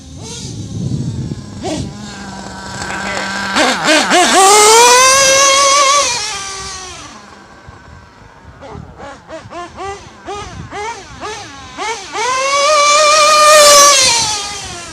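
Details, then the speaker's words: Modified Nova 28.8 / Teckno nitro RC engine on about 80°F day, trying Pico: high-pitched screaming passes with blubbery, burbling low end and spitting on throttle; idles okay but low end running way too rich, pinch test next. "Yeah, she's running way too rich. It's time to do a pinch test. I don't like the way the low end's setting. I mean, it's idling okay. Yeah, it's still, the low end's still too rich."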